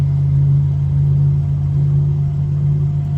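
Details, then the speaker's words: 2014 Chevrolet Caprice PPV at 160,000 miles, neglected front suspension and poor alignment: steady low drone at constant speed, no knocks; worn front wheel bearing, later replaced. "I think you might be able to hear it that sounds pretty terrible bearing should be smooth and it's not"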